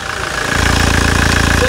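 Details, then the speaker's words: Toyota Hilux single-cab diesel, ex-Brazilian Air Force pickup, engine freshly overhauled (the fuel filter housing had been found mounted backwards): starts and settles into a steady, even idle with a smooth pulse, no knocks or rattles; normal idle. "e é muita melodia é o urro bestial de um animal selvagem de tiranossauros rex"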